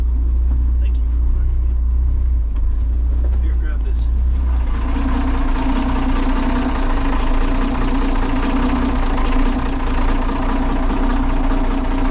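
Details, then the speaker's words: 45-year-old trawler diesel, underway after Hurricane Nicole, earlier developed a light tapping knock; engine water was turned off. Steady quick ticking knock with heavy low rumble, labouring and uneven, really struggling; rough running, cause not found. "Should I give it a little bit more? It sounds like it's really struggling."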